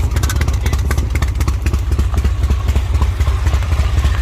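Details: Owner-built Harley V-twin at idle: loping, uneven potato beat at about four pulses a second, steady and strong with light valvetrain clatter. The owner sees nothing wrong; healthy idle.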